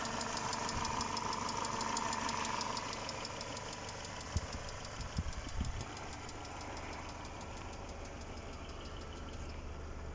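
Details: Mercedes W203, M111 engine (111951), at idle: quick, even, sharp ticking over smooth hum; noisy hydraulic lifters, often caused by a clogged oil filter; oil and filter change or lifter flushing or replacement.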